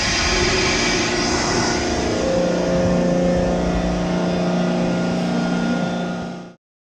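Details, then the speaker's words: CompAir Hydrovane 707 rotary screw air compressor, 460 V 3-phase, just over 28,000 hours, discharging to atmosphere through a hose with the tank not sealed off; steady even drone, low hum and air hiss while building pressure, no knocks or rattles; normal running. "Go ahead and power it up. You see it building pressure from the top of the screw. You hear the air."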